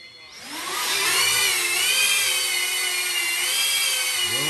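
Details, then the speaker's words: Diatone Taycan 25 cinewhoop on an 850 mAh 4S battery with a Caddx Vista, after 3D-printed duct sleeves closed the gap between ducts and props: a smooth, softer high whine rising and dipping with throttle, no buzz or rattle, noticeably quieter than before. "notice the cone is lowered and not as loud i can fly this around people and you might not get much"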